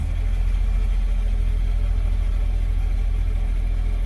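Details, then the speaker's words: 2003 Smart Fortwo three-cylinder after new spark plugs and HT leads, now running on all 3 cylinders: deep, steady idle thrum with no stumbles or misfires; engine light has gone off and it sounds much smoother. "Engine light's gone off and it sounds so much smoother, I can't even tell you."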